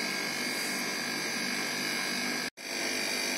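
A loud, steady, hissy drone with a constant high whine and one brief cut-out; the phase-change unit is running normally.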